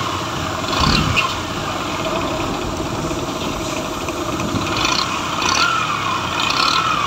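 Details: Bajaj Discover 100 motorcycle engine running before teardown: rough busy running with a raspy top end and uneven surges; abnormal internal engine noise.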